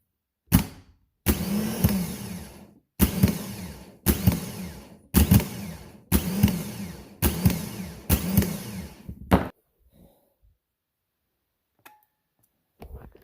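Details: Starter from a 2015 Ford F250 6.2 L gas, removed for acting up, bench-tested: seven short bursts of about a second, spinning cleanly with no grinding or clicking; normal starter motor operation.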